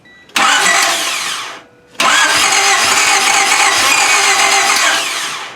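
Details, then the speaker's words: 1995 Honda Civic EG with spark confirmed and a little fuel in the tank: two long bursts of steady starter churning with no firing; cranks, no start, fuel delivery suspected but not confirmed. "I think that's gas, man. I don't think you're getting fuel."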